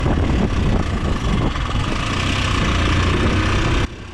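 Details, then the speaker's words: 9-10-year-old Yamaha R15, bottom and middle end upgraded but valves and rocker arms original, noisy for about half a month before stalling while riding; owner first suspected tight valves: busy uneven top-end clatter at idle; broken rocker arm bearing. "รถผมมีอาการเหมือนแบบเสียงดังนะครับลองฟังจากช่วงต้นคลิปได้เลยครับจะเป็นเสียงแปลกๆนะครับเสียงมันผิดพิไปจากากเครื่องยนต์สแตนดาร์ดที่เราเคยขับมานะครับ"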